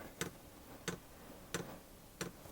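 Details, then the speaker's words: Hcalory diesel air heater just assembled, first start with a little diesel in the tank: dosing fuel pump ticks softly and evenly about every two-thirds of a second while priming and purging air from the lines, as it should. "now that noise is my fuel pump trying to Pump Fuel"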